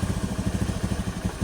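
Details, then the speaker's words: Scooter CVT after replacing worn, loose roller housing bushing that caused rattling at idle: steady even low putter at idle and when revved, no rattle or knocking; now nearly silent. "Sudah sangat senyap ini. Nyaris tidak ada bunyi."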